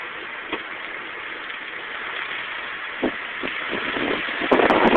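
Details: 2000 Nissan Maxima, recently after a tire replacement: steady metallic scraping hiss with a few scrapes from a front wheel when turning left. A bent brake pad was grinding against the thin dust shield; bending it back fixed it.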